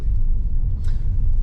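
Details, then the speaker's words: 2016 VW Jetta GLI, 2.0 turbo petrol EA888 gen 3, normally sounds diesel-like; once running the sound is gone: steady, even low rumble with no knocking or clatter; normal running, though owner notes a power delivery issue and suspects turbo. "once the engine is running the sound is gone and it's working"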